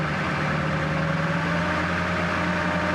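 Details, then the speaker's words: 1999 Ford F-250 7.3L Powerstroke diesel at 26°F after fuel pump replacement: deep diesel idle with a shaky, uneven beat, smoothing gradually as air is purged from the fuel system; rough idle. "run a little rough which might start pretty quick here a little gas it's gonna be rough for a while get that air out of the system shaking a bit starting to smooth out a little bit"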